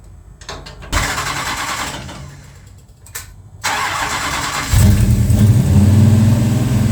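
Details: Plymouth Road Runner V8 after engine overhaul, timing heavily advanced after seeming too retarded, near operating temperature, owner mentions pre-detonation: several cranking tries, then it catches into a lumpy, uneven idle. Rough idle, cause unconfirmed.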